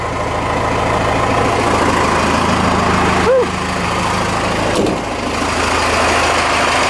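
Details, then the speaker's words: Cummins 6BT diesel swapped into a Ford F150, started after fuel system rework (front tank, new fuel return, gaskets and hoses) with about six gallons: steady idle with light clatter, low rumble, brief turbo whistle, shakes truck, no smoke; normal idle. "oh yeah this engine will shake your truck that's why they say it comes forward makes it come and shakes it yeah turbo whistle it's not smoking today it's good sounds like a baby for uh 6bt"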